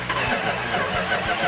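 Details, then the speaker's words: Freshly rebuilt 1970 Cuda 340 V8 on its first start, with firing order checked and timing close: it catches with a few rough firing pulses, then falters and dies within a second or two, starting and dying repeatedly. Fuel starvation. "so we tried firing up 340 and uh it kind of started died started died"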